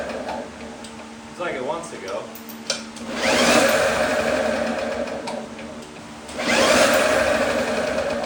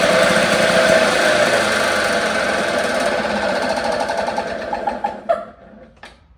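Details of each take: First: 1954 Lawn-Boy RPM 8FH13LB two-stroke mower, dormant 50 years, first start after points and ultrasonic carb cleaning: bursts into life and surges to high revs in waves, unchecked; super loose throttle leaking air at the carb, choke ineffective, runs wide open. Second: 1954 Lawn-Boy RPM 8FH13LB two-stroke mower, dormant 50 years, shroud missing, run on a known-good carburettor with throttle worked by hand lever: fast, even buzz with a steady rapid beat for several seconds, then winds down and stops; running fine.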